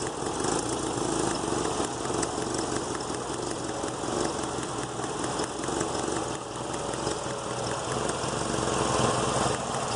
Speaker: This one here, you could hear it going pop, pop, pop, you know.